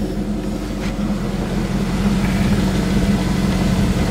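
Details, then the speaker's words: Ford Bronco, axles redone about 2 years ago, wheels spinning: steady low growl that grows into a cab growl at 75 mph. Owner suspects a bad axle bearing causing his vibration, unconfirmed. Driveline growl. "Yeah, it gets to be like a growl. I start hitting 75 miles an hour, it starts to be like a growl inside the cab there, so maybe that's what the issue is."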